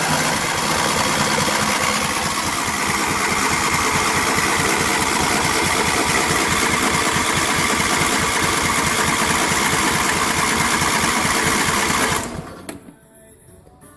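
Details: John Deere LA150 twin-cylinder lawn tractor nearing 300 hours, cold after winter, first start with new fuel filter and plugs after a no-fuel no-start: about twelve seconds of steady cranking at about three pulses a second without catching. Hard starting.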